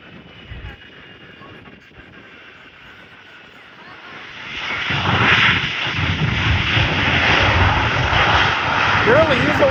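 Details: DHL Boeing 757 landing at CVG with #2 engine thrust reverser inoperative: jet roar swells after touchdown with uneven pulsing rumble, only one engine in reverse; asymmetric thrust reverser noise.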